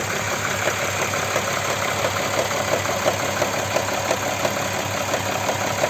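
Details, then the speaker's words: Audi Q7 3.6 FSI VR6, cold start then warming up: no noise when cold, a steady idle with light regular tapping at about 87 a minute appears and grows louder as it warms, from the rear under the plastic cover; owner suspects the cam phaser. "сейчас ждём она Ещё громче стучит моё предположение друзья это фазовращатель стучит"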